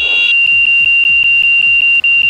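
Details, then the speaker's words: Training aircraft on a landing approach at slow airspeed while practicing a stall: a loud, constant high-pitched stall warning horn over cabin noise because airspeed is too slow, followed by a go-around. "what we're doing right now is Bad Air speed's getting too slow right you hear the whistle"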